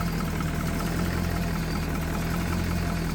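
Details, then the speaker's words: Foretravel Grand Villa motorhome diesel, possibly a big Detroit V8, with 50,000 mi since install, idling after sitting over a year at about 50°F. Deep, steady rumble with an even beat and no knocks; runs like a brand new motor. "already Smo like a brand new motor though it's like a brand new motor in this thing"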